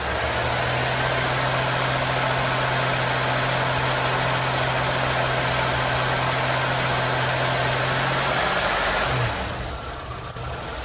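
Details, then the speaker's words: 1986 Oldsmobile 98 Regency Brougham, oil overfilled: even, steady idle hum with no stumble; running better and not misfiring much, normal idle. "i gotta say i feel like it's running better i mean it doesn't feel like it's misfiring much"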